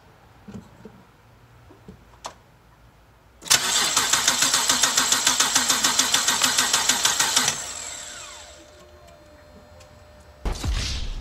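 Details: BMW 325i E90 N52 engine that burns oil, compression test on cylinder 1 with fuel pump off and one plug out. Starter cranks about four seconds with even pulses around six a second and no weak beats. Reading was a low 126, which the owner thought might be due to the other plugs still being in.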